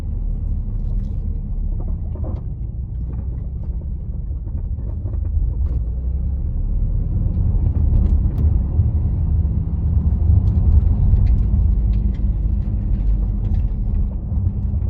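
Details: Vauxhall Astra GTC VXR driving: irregular dull knocks from the front driver's side suspension over steady road rumble, present since purchase; a slightly cracked bush is suspected, not confirmed.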